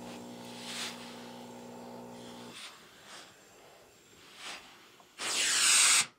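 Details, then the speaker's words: Rowenta DG8520 Perfect Steamer steam iron, previously repaired, with added soleplate fitted, eco mode: short hissing puffs then one strong full jet of steam about a second long; normal, healthy steam burst. "Even with the Soleplate on, even with this on, the steam is very, very competent."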